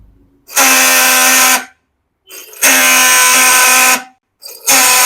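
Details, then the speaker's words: Yamaha R15 V4 self-starter tested off the engine with pinion disconnected: three one-second runs of harsh rattling "kra-kra" whir; mechanic suspects worn/cut starter motor bush letting armature wobble, not broken one-way clutch or bearing. "कहीं ना कहीं मुझे लग रहा है कि इस bike का सेल्फ से सेल्फ के अंदर में जो बूस लगा रहा था सेल्फ का बूस कट गया जिसके वजह से सेल्फ से करा करा नज आते रहता है"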